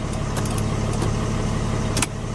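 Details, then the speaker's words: Mercedes W211 that cranked but wouldn't start and had no scanner communication, after repairing a CAN-bus cable fault: steady, even diesel idle with smooth low rumble, no misses or knocks; ignition, signals and A/C now working normally. "اذا بفتح كونتاك هذا اشتغل والهوا اشتغل بيرفكت الحمد لله. مشي الحال ودورة السيارة كله نظامي،"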